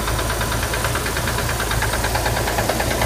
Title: Corvair engine knocking